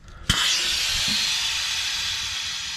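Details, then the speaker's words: Military LMTV (Stewart & Stevenson 1088 series 6x6 5-ton) cab air suspension after fitting new airbags to fix shock upper-mount bushing clunk: sharp air rush as cab lifts, easing over three seconds, no clunk on repaired side. "If I lift up here, you can hear the hiss, and I can hear the clunk on the other side, but no more clunk on this side."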